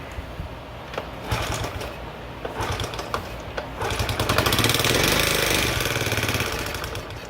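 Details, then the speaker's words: 1972 Honda Z50A K3 mini trail, first start after total restoration: small single-cylinder engine idling and revving with an odd metallic rattle, later traced to an incorrectly installed clutch. "but hey sounds like it has a weird noise to it must just be the audio"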